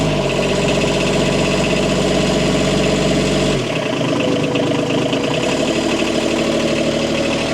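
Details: Bobcat MT100, 3-cylinder Kubota diesel, cold start at about 0°C after a glow plug cycle; even clatter at fast idle settling to a lower steady beat, no misfire or knocking; normal diesel idle.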